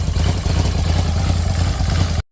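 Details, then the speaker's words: Polaris Sportsman 850 ATV that knocked badly, suspected rod, started with the flywheel removed: even low idle rumble with no knock or tapping; noise traced to the flywheel, no engine rebuild needed. "Well, that sounds quiet now. Well, how about that? We don't have a rod problem. I think that was our issue."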